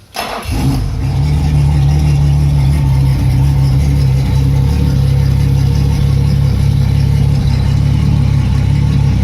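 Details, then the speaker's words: Yamaha F225 outboard with rough idle: catches and settles into uneven, lumpy idle with wavering speed, revving up and dying on its own; cause not yet pinned down. "It died on its own. Revved up on its own as well."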